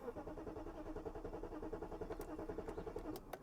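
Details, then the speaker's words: 1997 BMW 740i V8 that sat neglected for years, battery boosted, cranks at a steady chug of about 3.5 beats per second but never catches; a no-start from a failed fuel pump with old gasoline. "come on little girl come on little girl no she's not trying to start at all"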